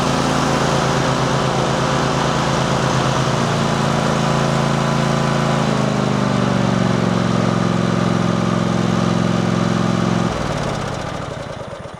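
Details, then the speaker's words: Riding lawnmower after repair: rusted-through deck welded, painted and refitted with new spindles; test run under cutting load holds a steady, even drone then winds down smoothly, running normally and no longer plowing furrows. "Well, it looks like the lawnmower is back in business. Our Frankenstein lawnmower is back in service, and it's not cutting grooves in the yard."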